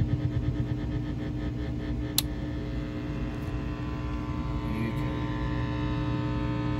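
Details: 1967 Valco-built Airline 62-9029A 5-watt tremolo amp (Gretsch 6150T/Supro 16T type, 10" speaker), after replacing bad 2.2K resistor and fixing cold solder joints, before 3-prong cord conversion, volume and tone full up: low steady hum, faint buzz, quiet hiss; residual mains hum.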